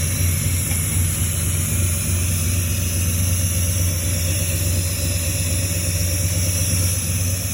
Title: Exhaust leak fixed